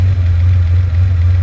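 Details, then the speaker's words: Ferrari 512BBi flat-twelve, second mixture check after a road test: steady low idle with a slightly flat, thin note and no knocks; idle mixture still weak, and a tiny screw adjustment improves it. "Still weak. It's amazing how much these things change."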